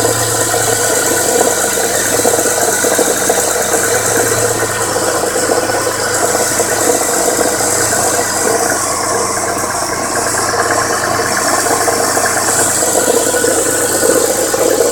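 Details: 1998 Contour SVT petrol engine running with fast steady metallic knocking clatter, three weeks after purchase; engine knock, cause suspected, not confirmed.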